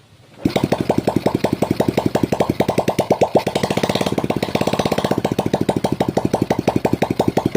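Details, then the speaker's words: Honda Supra X 125 after repairing lost compression, ignition checked and fuel flowing to the carburettor, exhaust removed: catches straight away, sharp even popping about eight beats a second; normal start and clean idle. "oke sekarang sudah mau hidup"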